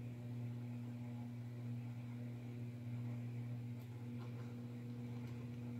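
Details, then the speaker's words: DIY spot welder with aluminium wires on 20 gauge sheet metal: steady low mains hum with strong buzz an octave up; poor welds, pieces not joining, cause unknown. "I don't know if you can hear the transformer humming right now but it is now it's kind of sucks because it seems like every video that I've watched on YouTube this all works really great"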